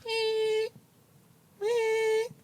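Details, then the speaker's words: BMW M2, undiagnosed intermittent noise like a quiet car alarm from the right side of the engine under the bonnet: two clear high chirps about half a second long, a second apart; intermittent chirping noise. "I started to hear a weird noise something like a quiet Car Alarm like literally that honestly and um it was coming from under the Bonnet"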